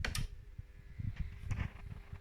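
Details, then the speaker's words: Miele W2839 built-in washing machine in service test mode, component test m24 P2/P3 filling detergent drawer compartments; soft irregular ticks and clicks over a faint hum as the selector routes water; normal detergent drawer selector ticking. "bakın deterjanlık tıkır tıkır ses gelmeye başladı su istiyor P3 tekrar ses geliyor deterjanlık"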